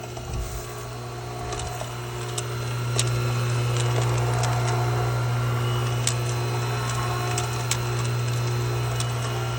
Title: Pool pump rattling noise